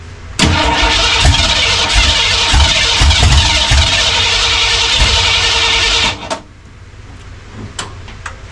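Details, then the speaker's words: 1967 Mustang drag car on first start attempt, spark present and carburetor bowl had overfilled; cranks, catches and runs roughly about six seconds, then cuts out abruptly; owner suspects dirt in the carburetor. "It's not It's clearly not getting fuel cuz it's got spark. Well, I think it got plenty of fuel. I haven't dumped it so much in there. It should run a little longer than that."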